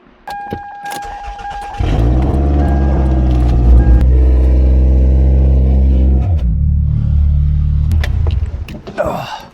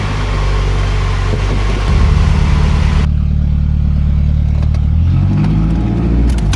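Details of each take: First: 2001/2002 Toyota Camry, exhaust being replaced from manifold back, muffler missing: catches and settles into a loud, deep, booming drone at idle with a blip; loud exhaust from missing muffler. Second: 2001 Toyota Camry 2.2L 4-cylinder, about 232,000 miles, after a complete manifold-back exhaust install with new resonator and muffler: starter churns, catches, deep even idle with no rasp or puffing leaks; normal idle.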